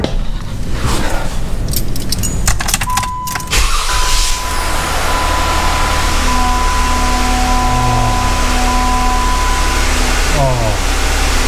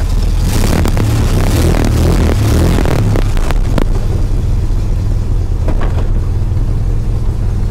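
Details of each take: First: 2013 Jeep Wrangler Unlimited after replacing the starter, earlier idler pulleys didn't help: key clicks, brief crank, then a steady, even idle with no grinding; the horrible grinding noise is absent, though it has vanished before. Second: 2013 Jeep Wrangler Unlimited: harsh metallic grinding while cranking, then a steady idle. New idler pulleys didn't cure it, and a transmission/flexplate fault was feared, but replacing the starter fixed it; its drive gear was suspected of not engaging properly.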